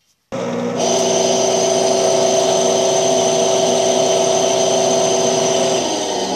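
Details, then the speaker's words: Electrolux 12 kg washing machine drive motor with the belt off: spins up into a constant, loud whirring whine with a rough edge; worn motor bearing making a strong noise, to be replaced. "a gente vai trocar e rolamento de motor que está fazendo barulho forte"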